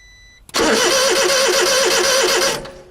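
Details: Honda Beat with a new fuel pump, fuses, spark plugs and battery cranks steadily but never fires. Spark on cylinder 1 and fuel delivery are confirmed; the owner suspects faulty injectors. Not confirmed.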